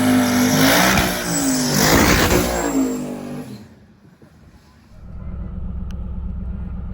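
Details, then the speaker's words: Twin turbo Hemi Dodge truck full-throttle pass after tune changes, shifting early near 6,400-6,500 rpm: engine pulls hard and climbs cleanly, then fades as it drives off; even, no misfire. "there we go there we go there we go there we go that's better that's better dentle baby early shift in 64 6500 right on down through there perfect"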